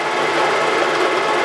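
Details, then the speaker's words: Face mill on a Wells Index vertical milling machine, cutting down antique wood-lathe tool post holders: after a noisy interrupted cut over a hole, it returns to a full cut with a steady, even, quiet whirr; smooth full face milling cut. "Now we're getting back into a full cut right there. You hear it get quiet."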